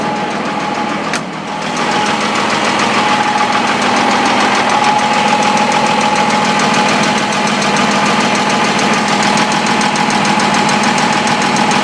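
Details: M35A2 deuce truck diesel at idle: repetitive knock about three times a second over the diesel clatter; weird knocking noise, cause not identified.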